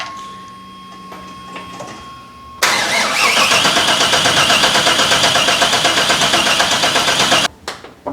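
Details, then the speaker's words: 4x4 El Camino with a 7.4 big block, with its cam sensor just corrected: rhythmic cranking with intake coughs, pops and backfires and no catch. Timing is now correct, but the injector firing order is wrong. "that snow backfires through the intake yeah which is means that our timing is now correct just need to correct the injector firing order apparently"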